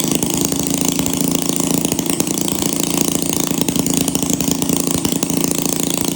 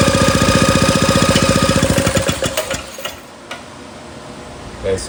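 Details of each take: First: 1937 Maytag Model 92 single-cylinder two-stroke, running before cosmetic cleanup and repaint, needing no mechanical or ignition work: fast even popping about four beats a second, steady and crisp with no misses; healthy. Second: 1937 Maytag Model 92 single-cylinder two-stroke, first try after priming: quick sharp popping about four a second, fading and stopping after two seconds; engine runs briefly then dies, likely not yet picking up fuel.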